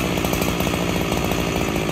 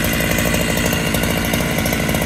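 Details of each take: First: Freshly rebuilt Husqvarna 365SP chainsaw, still breaking in, original cylinder and piston, in dry oak: burbly, uneven four-stroking at low speed; running too rich on the low end after idling and near stalling. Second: Freshly rebuilt Husqvarna 365SP with original cylinder and piston, after tuning out a rich, loading low end: even, steady two-stroke idle with no lumpy dips or surging, where before it lumped along.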